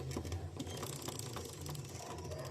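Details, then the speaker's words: Shineray SHI 175 carbureted motorcycle: fast uneven metallic clatter over low engine hum from a worn counterfeit drive chain, louder with speed and load, sounding like engine damage; fix is replacing the chain. "vai ficar fazendo esse barulho, ó. E quanto maior a velocidade e quanto mais peso tiver, mais barulho ela vai fazer. como se tivesse quebrando algo dentro do motor, porém apenas a corrente, certo?"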